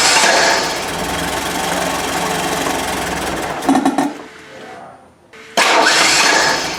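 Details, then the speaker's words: Merkur XR4Ti, 95,000 miles, sat five years, idling with timing light on before rotating distributor: uneven lumpy idle that dips and catches again; mark way after top dead center, target about 13° BTDC; retarded ignition timing. "thankfully you can see the mark it's way down there after top dead center"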